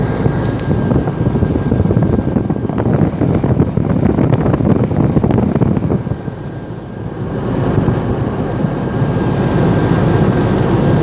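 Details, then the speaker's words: Hummer H2 6.0L GM V8 at idle after installing a new alternator, replacing one with a broken shaft that had mimicked engine knock. Deep steady exhaust rumble with no whine, rattle or knock from the alternator. Normal idle. "new generator was installed now listen there's, no noise now Only the rumble of the Exhaust There's no noise from the alternator itself"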